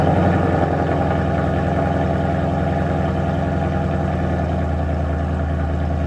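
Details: Gen 2 Coyote V8 in a donor Mustang, restarted with the driver's side of the engine jacked up after a broken driver's side motor mount let a pulley contact the sway bar mount; steady, even idle, smooth low rumble, no knocks, no smoke, healthy.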